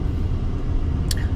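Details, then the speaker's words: Honda Element/CR-V after replacing both front wheel bearings (the passenger side was the bad one): a steady low road rumble while cruising, with no growl or hum from either side when the load shifts. "so now either side I put Brandon both sides so it doesn't matter what I do it the noise it doesn't come because both front brand-new bearing okay"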